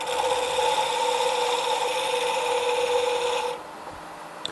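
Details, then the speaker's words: Wood lathe turning a pen blank: buzzing, chattering cut, noisy on one side as the roughing gouge still meets corners of a not-yet-round blank, turning smooth once round. "now if you notice uh one way you can tell that you've got the round roundness put into the pen blank is that you hear it noisy on that side"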